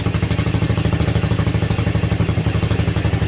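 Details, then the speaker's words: 1984 Honda ATC200S single-cylinder engine at cold start, after recoil starter repair; even, quick thumping idle with a steady beat, no misses or knocks, no smoke; normal cold idle. "got no smoke. I mean, nothing. Yeah, this was, obviously it's a cold start. Still cold, obviously."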